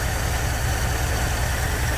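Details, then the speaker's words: 1959 Dodge D-300 farm truck, old V8, sat for months, fires right up after a starter and solenoid replacement: heavy, lumpy, uneven low drumming at idle, tired and running rough ("totally blown up"); rough idle, cause unconfirmed. "it's been sitting for months fires right up cool listen to that thing that totally blown up"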